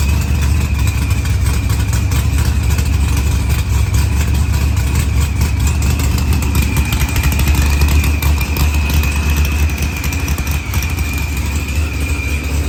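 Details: Supercharged LS-swapped Mopar drag car with zoomie headers, fixed after blown head gasket, new IAT and fuel pressure sensor, firmware updated, fuel trimmed, timing 10°; deep lumpy V8 idle with faint blower whine after fire-up; normal idle.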